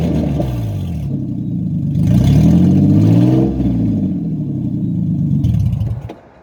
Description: I had to take off the front of my exhaust on my RX 300 and this is what it sounds like with no exhaust